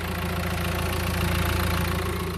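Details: 2016 Mercedes A-Class idling with a steady, even low rumble and a regular beat, no knocks or rattles. Recorded after the clutch was replaced for a noise at idle, plus a leaking clutch master cylinder; healthy idle.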